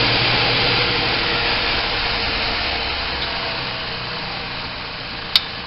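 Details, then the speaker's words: Homemade 2x72 belt grinder built from 1/4 inch laser-cut plate, platen not yet fitted, at low speed setting 3 on a metal table; steady even motor-and-belt hiss, one brief tick near end, hardly any vibration; runs smoothly. "Not hardly any vibration at all. A little bit, but not much."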